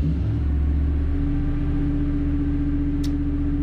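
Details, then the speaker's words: Standby generator running steadily after transfer three to one completed, confirming gas supply while troubleshooting a Lochinvar boiler locking out on low air; steady low drone with constant mid hum, even and unchanging, normal running. "the generator is running transfer three to one the transfer has been completed so we're not out of gas because that's running"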